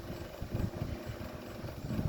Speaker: This should go right up the high. And that bearing noise is really loud.